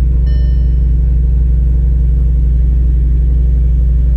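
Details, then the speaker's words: Audi RS5 start-up just after bank 2 exhaust camshaft position sensor work, for an EPC light and 6000 rpm limit warning: deep, heavy, even rumble pulsing about three per second; it ran a little better after a minute, perhaps as oil circulated. "I was scared, man. It was making some kind of noise. It was like a deep noise. So I was like, man, I messed up something."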